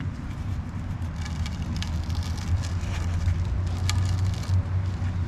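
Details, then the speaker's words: 1998 Ford Ranger lower heater hose, removed while replacing the heater control valve and 4 heater hoses: dry, irregular crackling crunch as the hose is flexed; hose rubber crunchy and deteriorating, being replaced. "That's why we're replacing them cuz they're crunchy and deteriorating."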